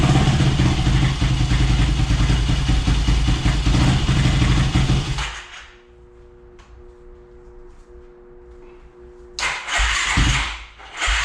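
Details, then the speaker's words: Yamaha YFZ450 (about 2006) first start after clearing a plugged fuel line with compressed air: revs hard, drops to lumpy low idle, picks up again; running but carburetor likely not 100%, needs fine tuning. "well you have it guys she's running good i gotta fine tune it i don't think the carburetor is 100 on this thing"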